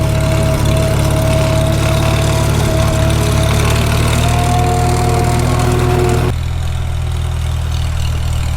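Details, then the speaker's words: 1945 Farmall H on cold, thick transmission oil, shifting up toward fourth. A steady high howl rides over the low chug and climbs with the gear, described as a transmission gear whine. It howls much worse when warm in summer. "can you hear that transmission gear wide it's coming through and that's on cold thick oil when this thing gets warm in the summertime it howls like crazy"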